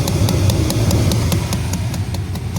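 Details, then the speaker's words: 1996 Chevy Silverado C1500 2WD, engine idling with the AC switched on: sharp, regular clicking from behind the dash at the blend door. Owner suspects the blend door actuator motor has gone bad; not confirmed. "now listen to this so you give this clicking that's clicking right there we'll be coming from there"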